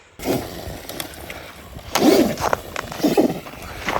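Short bursts of motor whine as it accelerates and eases off, with tire and ground noise and no clunks; the drivetrain sounds healthy.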